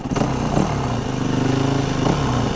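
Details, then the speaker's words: Recently bought carburetted Yamaha WR450F enduro after service, idle just adjusted, exhaust drilled with a couple of holes: crisp, even single-cylinder beat at steady idle, no hunting or stalling; idle set right, exhaust throatier. "That sounds alright now. Sounds alright, that exhaust, doesn't it? I think it's got a bit throatier now."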